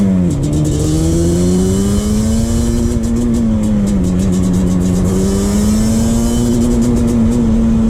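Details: 2001 Yamaha Banshee 350 two-stroke on a POV test ride after new clamps fixed an exhaust leak: buzzy high wail climbing and dipping with throttle, crisp and unbroken with no puffing or ticking. Exhaust sealed, running normally.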